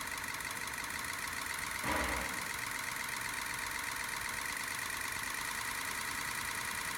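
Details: 2003 Ford F-250 6.0L Powerstroke diesel just after startup: uneven, lumpy idle with a brief early surge; rough running or misfire, cause not yet known.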